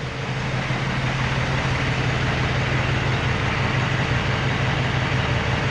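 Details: Peterbilt 379 with ISX Cummins diesel, restarted after a repair that stopped heavy smoke; deep, steady, even idle around three beats a second, smoother, burning clean and no longer stumbling.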